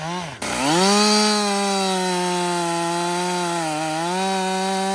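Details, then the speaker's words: Husqvarna 562XP chainsaw, software reflashed after dying when hot and stumbling. A steady high howl sags briefly as the chain bites and recovers cleanly, running smooth and even. It runs normally under load. "so far it's running great um I've got I'd say about I don't know two-thirds"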